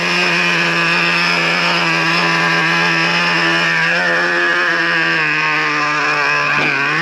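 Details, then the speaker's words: Traxxas Revo 3.3 nitro RC truck during day-two break-in, fourth tank, low speed needle found slightly lean; wheels not spinning, reading 247 on Traxxas Link app. High-pitched steady buzz holding its note without stumbling or dying; well-tuned normal idle. "So easy to tune it up. And like I said, you want it to sit here and idle without shutting off."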